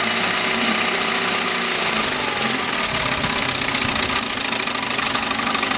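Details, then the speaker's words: 1971 Mercury 7.5 outboard two-stroke brought back after new coils, water pump replacement and carb cleaning for a no-idle problem; fired up and pumping water, steady even buzz with no misses or knocks, running cleanly. "water pump was toast it had a crack in the fuel pump housing and it wouldn't idle so I just finished cleaning the carb so we're going to fire it up here and have a [Music] look"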